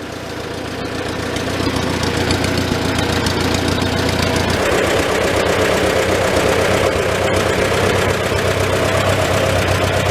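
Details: Old Farmall tractor four-cylinder with an often-rebuilt, finicky updraft carburetor, idling in a tight, smoky shed; even chug that picks up slightly and holds steady, no misses. Normal idle, running pretty good.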